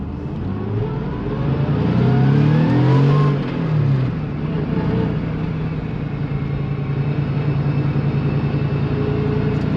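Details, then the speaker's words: 1999 Porsche 911 Carrera (C2) with semi-solid engine and transmission mounts, driving on freeway at higher revs: steady rising drone, no knocks; slight transmission rattle with clutch in; normal engine noise transmitted through stiffer mounts. "all right I think that gives you a little bit more of an example of what it sounds like at higher RPMs"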